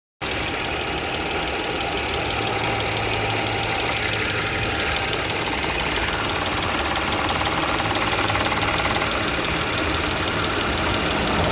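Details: Audi B8 S4 at steady idle: light, fairly regular tick about three times a second over the engine hum; owner unsure whether timing chain issue or rod knock.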